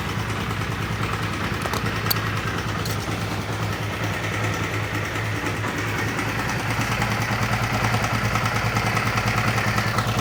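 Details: Honda CB150R steady idle with a loose, uneven metallic rattle, roughly two beats a second; mechanic hears a rough noise seemingly from the upper left of the engine, cause not confirmed.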